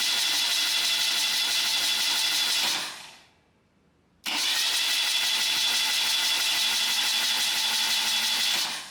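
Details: Freshly restored 1977 BMW R75/7 on the work table with the ignition coil unplugged: two steady cranking runs of about three seconds each with a brief pause between, no firing, an even spin while oil flow to the rocker arms is checked. Normal, healthy starter cranking.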